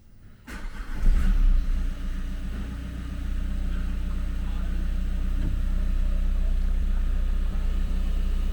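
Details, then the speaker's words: 2020 Nissan Qashqai 1.5 dCi K9K diesel, after fixing a crank-no-start with no fault codes by checking the injectors: cranks, catches within a second, flares, then settles to a steady, even idle on all four cylinders. "She's back up running on all 4 cylinders like a little Singer sewing machine."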